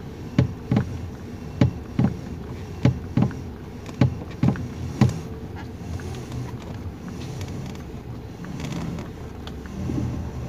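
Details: 2019 Toyota Rush, engine idling while the wheel is turned left and right: sharp clunks, one or two per second, from under the steering column, caused by a loose steering column bolt and bushing; suspension checked fine.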